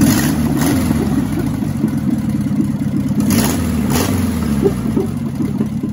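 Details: 1977 barn-find VW Bus Type 4 air-cooled engine, first start in over three decades: busy idle with light valve clatter that swells cleanly on a couple of revs; runs and revs healthy.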